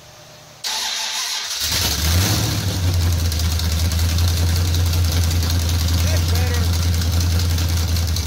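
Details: Charger with a 383 V8, whiplash cam and small-valve heads, on open headers with an exhaust leak and a little throttle: loud, deep, choppy idle with a steady cam lope audible over the leak. Normal idle.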